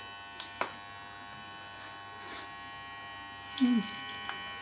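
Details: Samsung J7 Prime phone making a steady, unbroken electric buzz at one pitch with faint clicks, which did not stop and then gave off a lot of smoke; owner thought it would explode; continuous buzzing fault.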